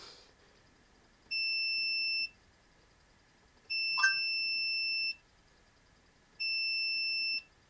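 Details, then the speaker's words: 1966 Triumph Spitfire 1147cc, setting the ignition points during hesitation troubleshooting: three clean high multimeter continuity beeps while the points are closed. "I kind of marked in my head where the buzzing just stopped and then rolled it back a little bit."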